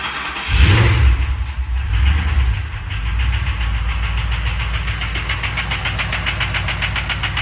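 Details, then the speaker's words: 2007 Crown Victoria police engine in a 1966 F100 body, fuel injected, abused, first start after sitting: rough burst then idle with quick, even light tapping; sounds like valve train, not bottom end; oil looked clean. "man it does not sound like a knock it sounds like something in the valve train so going to have to look into that"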